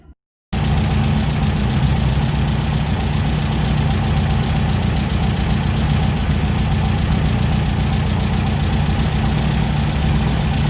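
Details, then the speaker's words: VW Beetle (Fusca) with four TBI injection, after resurfacing the intake manifold base and fitting new gaskets to cure a false air leak: deep, even idle holding a constant speed with no hunting; problem solved. "Beleza, juntas novas, conjunto montado, eu fiz novamente o teste e a rotação se manteve agora estável. Problema solucionado."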